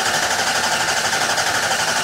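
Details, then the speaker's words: 2004/5–2007 Ford 6.0 Powerstroke after driver-side dummy plug and stand pipe replacement; air remains in the high-pressure oil system, and it needs 500 psi to start. A rapid, even electric buzzing with no combustion as the injectors cycle: injector buzz test. "one more Buzz test let's run injectors through and eventually pressure will build up and truck will"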